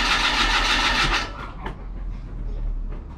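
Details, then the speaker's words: Mazda MX5 under restoration, cranking with a new coil pack and leads, spark plug out: loud, quick, even spin that fades; engine turns freely, faster than before, but doesn't start. "That's spinning faster again already."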